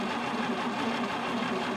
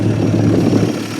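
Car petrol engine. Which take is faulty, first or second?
first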